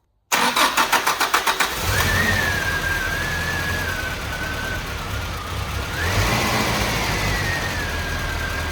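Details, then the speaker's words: 1985 Mitsubishi Pajero on its original carburetor after sanding worn, corroded distributor points: catches after a few cranks, then idles roughly, note drifting up and down; owner suspects a clogged idle valve in the carb. "All right, so I decided that since our idle is so rough and it's fluctuating, I'm thinking maybe the idle valve or something is clogged in the carb."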